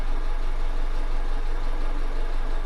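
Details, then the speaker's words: Honda Civic after head gasket repair and new coil packs (misfires had followed the swapped coils): petrol engine idling with a steady low hum and even pulses, no misfire stumble; scan shows no more misfires, though a leak remains. "And so anywho, it's running right now. I'll let you hear it and judge for yourself."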